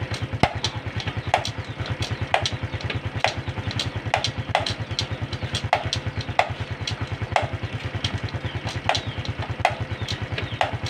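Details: Honda Supra X 125 FI, engine idling, loud metallic "ceklok" clunk each time the gear lever is pressed, sometimes intermittent, also heard with the engine off. Sharp clunks about every half second. Gear-shift clunk from the clutch release mechanism, fixed by adjustment.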